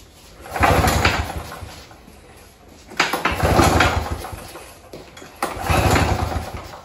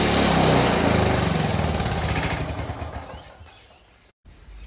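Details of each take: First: Victa Turbo Disc two-stroke curbside lawnmower, pull start fixed, fuel tap on, primed three times: four pull-cord whirs with no firing at all; cranks but won't start, spark check next. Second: Free curbside Victa Turbo Disc two-stroke lawnmower, after a carburetor service with new primer cap, needle and cleaned main jet plus a pull cord repair: catches on the first pull into an even, rapid two-stroke buzz; normal start and run.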